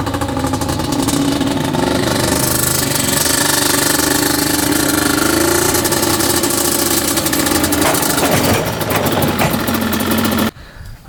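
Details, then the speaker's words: 1995 Yamaha Banshee 350 two-stroke twin, revived after 18 years in a barn, water just pushed out: revving climbs and drops cleanly with no bogging or popping. Healthy, pulls up smoothly. "I forgot how good Banshee sound best sounding machine there is for sure sounds so good look at that thing doesn't get much better than that sounds really really good"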